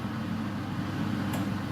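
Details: Beko HCA62541B kitchen range hood fan on a mid setting: smooth, steady airy rush with faint low hum, no rattles or scraping; fan running normally.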